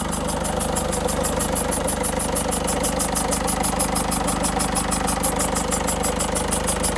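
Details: 2006 Peugeot 307 1.6 HDI diesel idling evenly just after installing a new battery, with a fast, regular, high-pitched ticking hiss about twice a second; owner suspects the injectors, source unclear.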